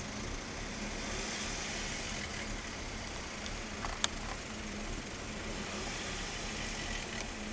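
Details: BMW M3 E36 3.0 with low, hard-shaking rough idle that began after an instrument cluster change, with no error codes. The new cluster didn't pass the differential speed signal to the ECU, spoiling its fuel tables. Later fixed.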